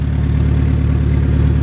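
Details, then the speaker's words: Honda S2000 AP1 at warm idle after its first drive: faint, quick ticking that seems to come from the top of the engine; owner suspects the valves or possibly the timing chain tensioner, not sure. "I honestly might be aiming towards the valve. I'm not 100% sure, but it sounds like the valves. It sounds like it's literally coming from above here, but I'm not 100% sure."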